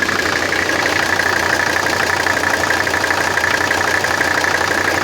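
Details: 1984 Mercedes 300SD 3.0 five-cylinder diesel at idle: loose uneven clatter about two to three taps per second over steady hum; owner trying to diagnose source, unclear.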